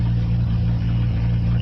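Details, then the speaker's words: Nissan Altima SE-R, after AC condenser and radiator replacement: steady low idle drone with an uneven, pulsing beat underneath; rough idle. Owner mentions an unfixed vacuum leak and may try Seafoam; cause unconfirmed. "it's still idling pretty pretty rough but like I said as the I'm one vacuum leak that I'm not able to fortunately picks right now"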